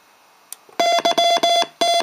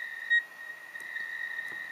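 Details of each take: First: Cheap Rockmite51 clone 40 m CW transceiver into a dummy load, keyer memory message playing: clean steady tone near 700 Hz in crisp, evenly spaced dot-dash groups; normal keyer playback. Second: 40 m Rockmite clone CW transceiver tuned to 7.025 MHz: holding the key gives only short single beeps instead of a continuous tone. Owner suspects the control chip was damaged, since the key inputs connect straight to it without buffering.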